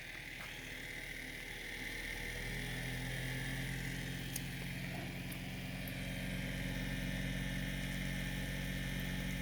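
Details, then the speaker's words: 3D-printed pulse motor with a new rotor, running on about eight volts then turned up: steady low hum rising in pitch as voltage increases, then holding smooth and even with no knocks or rattles; strong, solid output. "yeah it's doing really good solid solid output I'm seeing solid lights"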